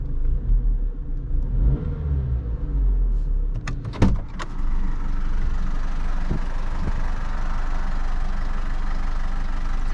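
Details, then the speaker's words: Vauxhall Corsa C 1.4 SXi, hot engine after a drive: starts and idles with a busy, very noisy metallic timing chain rattle. "just give it a quick start so you can hear the horror of the chain rattle very funky radio look you can hear that's quite noisy"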